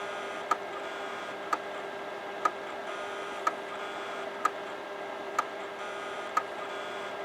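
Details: Imation LS-120 SuperDisk drive in an IBM NetVista that can't read a floppy: sharp clicks about once a second over a faint hum, constant recalibrating; owner suspects damaged or extremely dirty heads, drive likely hopeless.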